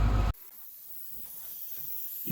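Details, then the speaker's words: Tractor AC system pressure-tested with regulated shop air (not Freon): after a loud burst, faint steady hiss of air escaping at the leak point on an air conditioning line, AC line leak. "That's an air conditioning line. And he's leaking right there."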